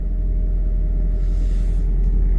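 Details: Toyota Prius Plug-In Hybrid started after jump-starting a dead 12V auxiliary battery (drained by dome light left on): steady low rumble staying even throughout, no knocks, misses or surges; car running normally.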